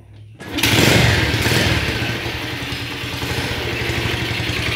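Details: Motorcycle that died after getting wet, started after refitting the spark plug, using a used but still normal coil; catches at once after a brief silence, revs, then settles into a steady, even idle with no misfires.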